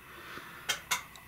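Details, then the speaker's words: Off-grid inverter on a jury-rigged two-battery bank after low-battery shutdown, 12V loads switched off, inverter still showing 120 volts: two sharp relay clicks a quarter-second apart then a faint third over hiss; inverter relay clicking after cutout. "hear the clicking okay the inverter still on 120 volts I do not know if it will run the vacuum"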